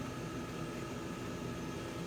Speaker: that pulse makes us sound like similar to it like a buzzing hear buzzing like alongside the normal fan noises